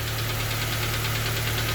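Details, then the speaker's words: K-swapped Honda Civic EP2, IACV deleted (throttle flap opened for idle), warming up: even idle with quick steady light tapping from the back of the cylinder head area, new noise since the IACV work; cause unconfirmed. "still got that annoying tapping sound you're here to come from the back of the head somewhere"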